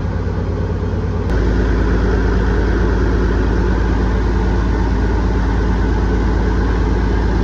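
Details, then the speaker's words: Rooster truck diesel, warmed-up idle after a late-night fix of the found problem: steady, even idle with a deep, regular beat and no knocks or misses; 40 psi oil pressure and about 100 psi fuel pressure. "oh baby it sounds good"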